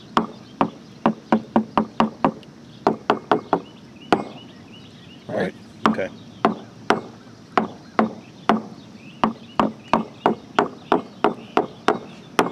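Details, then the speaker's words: Tool tap test on a sailboat deck at the baby stay fitting, where water leaked in for years: repeated taps, about two a second, all sounding the same dull thud, no hollow; dull thud on tap test. "So if we start here, we got tools, but it all sounds the same, right? Right. No hollow. Oh, it's like a dull thud."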